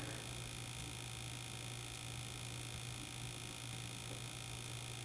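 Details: 25-inch K7000 arcade monitor chassis under repair for blowing fuses and a smoking R97 resistor, powered on: steady low mains hum with a faint high whine and no crackle, pop or arcing; running normally.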